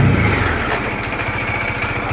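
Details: Bajaj Dominar 400 single-cylinder idling steadily after sitting unused for a long time with a fully drained battery, revived by push starting; even, clean thump with nothing rattling or missing, a healthy normal idle.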